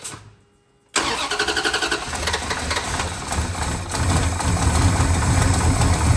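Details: 1970 Dodge Charger, not run since 2008 or driven since 2006, starts easily; quick cranking, then catches into a strong, deep rumble. Engine starting normally.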